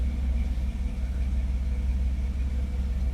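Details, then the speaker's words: 1959 Ford F100 with a 302 ci (5.0L) V8, 650 cfm carburettor and C4 transmission, mic beside the exhaust: a deep, even V8 burble at idle with no miss, tick or knock. The engine is healthy. "hell yeah man that thing is nice and healthy"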